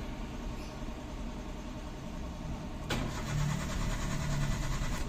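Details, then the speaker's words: Hyundai Eon 3-cylinder, customer complaint of hard starting, no fault codes: steady cranking for about three seconds before it catches on the second try and rumbles into a rough idle; fuel pump to be checked. "Ayaw. Isa pa. Ayun umandar na pangalawa. So walang apak doun sa ilalim."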